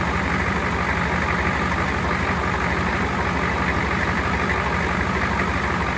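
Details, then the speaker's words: Ford 7.3 diesel first start after fitting a first-generation Banks turbo kit with homemade intake hat; even diesel clatter at steady idle with faint turbo hiss, no misses, no oil leaks seen; normal idle. "yeah i'm pretty happy with that sounds good i don't see any oil leaking"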